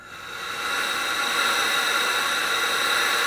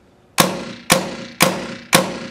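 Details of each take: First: Tippmann A5 paintball marker aired up: constant high hiss for about four seconds then sharp cutoff, air leaking around the valve assembly where the tombstone connects to the valve, with some also coming down the barrel. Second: Tippmann A5 paintball marker after reassembly to fix a valve leak: four sharp, clean shots about half a second apart with no hiss between; leak fixed.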